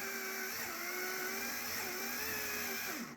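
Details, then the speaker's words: HO-scale model railroad layout turntable drive motor: steady, high-pitched wavering whine that drops in pitch as it winds down. Loud motor; owner wants a quieter one. "it's loud I'm going to warn you oh we want to go the other way I need to find a quieter motor for this"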